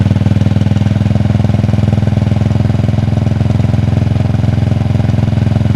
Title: Cold start - Clicking noise primary side